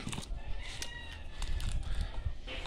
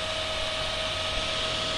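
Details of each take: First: Inverter welding machine switched on: steady buzzy hum with fluttering flapping rasp from the internal fan blade striking a loose wire. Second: Inverter welding machine after its cooling fan was reinstalled and the wire refitted. A steady, airy fan rush with a faint tone and no flapping or rattling; the earlier flapping sound is gone.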